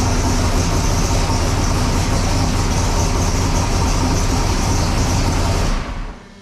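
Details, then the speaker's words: Sick Seconds 1.0 copper Camaro drag car, first fire-up after being freshened up and reassembled: deep, steady, lumpy rumble holding evenly, then clean shutoff; normal running. "1.0 in this video, obviously getting it on and off the hoist, but also first fire up of it, got it back together, everything was freshened up."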